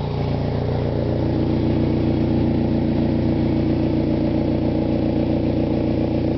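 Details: 1992 Eagle Talon TSi: steady, fairly regular knock, about three or four a second, from the front, under engine and road noise while driving.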